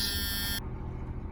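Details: 2001 Tiffin Allegro Bus 35IP motorhome, ignition on during 12-volt dash fan troubleshooting with voltage below 12: a steady, high-pitched buzz for about half a second cuts out over a low hum. This is the low air pressure warning buzzer.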